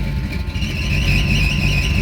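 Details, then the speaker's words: 1979 Chevy C10 with replacement roller-cam 350 small-block V8, shifted into drive with foot on brake: high, wavering squeal over the rumbling V8 from the drive belt, which is too loose and slipping; belt needs tightening. "Not a damn belt. Lord, that's some good [Music] It is. The belt's too too loose."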